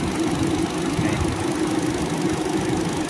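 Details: Car radiator cooling fan after replacing the worn fan motor: steady, even hum, constant low tone, no rattle, tick or grind; vibration gone, fan running smoothly and quietly.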